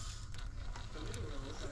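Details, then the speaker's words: Sticky Hi8/digital tape on rewinder: faint irregular crackling ticks like masking tape over low reel whir; mold breaking as layers unwind, tape starting to rip at the end. "you can hear that mold breaking you can definitely hear it you can hear it it sounds like masking tape"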